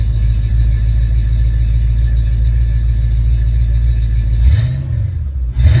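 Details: Rebuilt, tested Ford Mustang A9L mass air PCM: the engine comes off high idle to closed loop at about 800-900 rpm, then is revved and held. Deep, even held revs with no misses or breakup, then a clean fall to a steady idle. Healthy.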